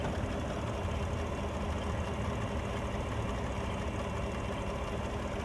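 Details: 2016 Chevrolet Tahoe 5.3L V8 after fixing no-crank/electrical faults by adding a ground strap to the valve cover, voltage 14.6–14.96 V: steady even idle, smooth low rumble, no misses, knocks or surging.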